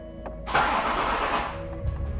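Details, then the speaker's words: Rebuilt 3.0 TDV6 engine in a Range Rover L405 Vogue SE, first start attempt after rebuild: a brief crank of about a second then cuts out, no start; owner suspected battery (recharged repeatedly, no change), trigger wheel suspected. "And it cuts. So it cranks a little bit and it cuts."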